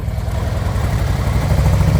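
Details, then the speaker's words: 2024 Harley-Davidson Road Glide stuck in limp mode with check-engine light, revved in place: lumpy uneven idle with irregular beats and dropouts, running on one cylinder, barely any power; fault in the coil harness, a repeat of an earlier warranty repair. "You turn it on, you'll see that the check engine light remains on, and then in addition, when you try to use the gas, it's running on one cylinder. So I'll show you guys right now. I'm revving it up, you hear? Sounds like shit."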